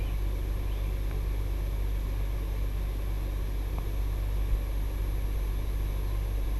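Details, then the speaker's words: ICP 3-ton 5-speed inverter heat pump, newly installed outdoor unit, ramping up after the living room thermostat was turned on: low, smooth, steady hum without knocks or rattles, normal running. "So from the time you turn power back on, it takes about 5 minutes for the unit to start up and get working."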